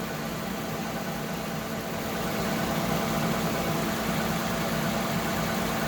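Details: Lexus ES350 / Toyota Camry 3.5 V6 2GR-FE, after alternator replacement, left running while checking coolant: smooth, even idle with a steady low hum, no ticking, knocking or whine; engine healthy.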